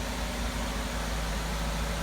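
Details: 2012 Chevy Malibu idling during exhaust VVT solenoid bi-directional test, cam angle commanded to 10 and 15: steady, even idle with a smooth low hum and no knocks, misses or ticks; normal idle.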